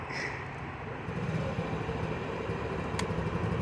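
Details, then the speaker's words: Honda Ruckus small single-cylinder scooter engine after a battery replacement, having sat unused: it cranks, catches and settles into a light, slightly uneven idle with street noise around it, running normally. "It might take a minute to get it started, but the engine's cranking. There we go. And it's running."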